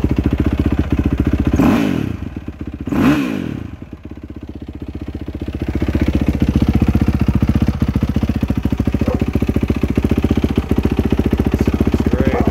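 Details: 2007 Yamaha YZ450F after cam chain, tensioner, valve clearance adjustment and new FMF PowerCore 4 muffler; single fires, two sharp blips, then settles into an even, steady idle. Normal running.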